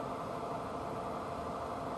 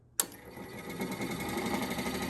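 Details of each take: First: 42-year-old Suburban NT24M furnace lit and running after rebuild, fixed by a small spring once gas reached it: even steady rushing roar of burner and blower, no popping, surging or rattles; normal running. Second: 42-year-old Suburban NT24M furnace blower motor, bench-powered by gator clips outside the case, previously hard to turn: spins up loud with rough buzzing rattle about three beats a second; owner suspects too much play, worn motor bushing.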